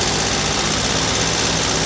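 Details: Over-40-year-old Volkswagen T2 Bay Window camper's air-cooled flat-four started after 18 months parked, steady even hiss and rumble with no knocks or misses; normal idle.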